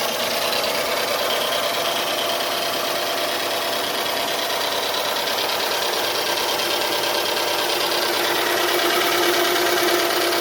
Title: 2007 Dodge Charger V6 Slight Ticking Noise Walk Through